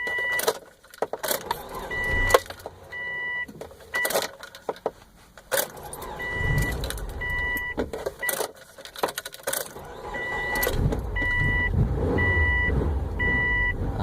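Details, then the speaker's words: Subaru with hard start and rough idle: engine surges and fades in uneven bursts while the throttle is blipped and slowly released, a door chime beeping; it barely runs and cuts out again. Hard start, stalling. "sometimes I can keep it running like this now I have my foot on the gas now slowly letting it off slowly letting it off just cut off again"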